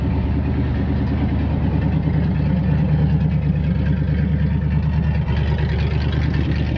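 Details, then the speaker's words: 1968 Chevrolet C-60 farm truck, 327 V8, two-barrel carb, four-speed, headers and glass packs: deep, lumpy V8 idle with a loping beat and loud bass rumble. Loud idle through open glass-pack exhaust, not a fault. "oh it's got headers and glass packs on 327 and a two barrel a phoner - breather"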